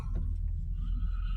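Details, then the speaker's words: 2003 Toyota Sienna with a new Y-pipe and catalytic converters, backed out into the yard: a low, smooth, quiet rumble with no puffing, ticking or rattle, far quieter than before. Check engine light on but no codes. "Yeah. It's a lot quieter than it was. You can't hear it at all."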